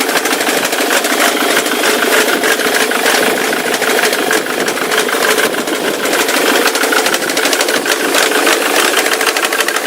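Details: Ford Mondeo 3 turbo-diesel running: a fast, uneven clattering tick of unclear origin, coming from the left side of the engine and sounding like a chain. It smokes heavily on throttle.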